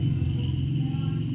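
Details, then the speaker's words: Realme C35 phone with ringer/loudspeaker not working, heating up: with volume full, only a faint steady low hum like a grounded home-theatre speaker, no ringtone or voice output; loudspeaker fault, cause not yet confirmed. "हाँ, आवाज़ आपको दिख रही हो तो friends इसमें जो है हमारा, आप वॉल्यूम यहाँ पे कुछ भी नहीं दिख रहा है, बट ये जो है आप जब यहाँ पे कान लगाएंगे तो आपको इस तरह की कोई आवाज़ हल्की हल्की, जैसे हमारा बहुत वो जो होम थिएटर का स्पीकर होता है वो हम ग्राउंड पे टच कर देते हैं तो घी घी की आवाज़ आती है।"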